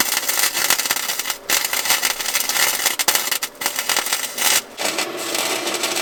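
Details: Harbor Freight Titanium 125 flux-core welder in cold, bitter outdoor weather, welding the smokestack back onto the thin-metal muffler of a John Deere 210LE loader: crisp, even frying crackle with short pauses, no popping or sputter; a steady, stable arc.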